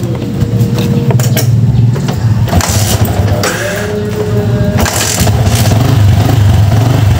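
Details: Yamaha Vixion motorcycle after replacing burnt stator coil (spool), charging voltage previously 19–20 V, normal 10–15 V: engine catches quickly, settles into even steady idle, no misses or knocks; normal start and idle.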